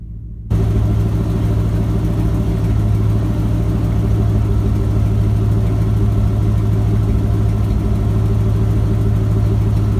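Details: Ford F-250 with a 7.5L 460 big-block V8 after replacing the starter bypass solenoid for a no-crank, no-start. Deep, steady, even rumble at idle with no misses, knocks or ticks; idling smoothly and healthy.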